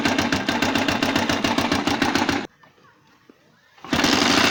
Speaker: طبعا الصوت ده هو ممكن يكون له اكتر من سبب ممكن يكون بسبب تروس التقسيمة برضو في ترس متكسر فيهم. فعامل معنا الخبطة دي وممكن يكون عامود الكرنك البلية بتاعته بايزة خالص